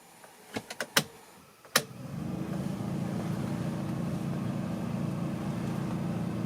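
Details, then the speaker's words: 2004 Renault Twingo 1 cabin blower at full speed, after reconnecting plug: steady rough droning hum, imbalance from broken fan blades; blower fan needs replacing. "Donc il va falloir changer le ventilo. Ça crée un ballour par rapport aux alettes qui sont cassées."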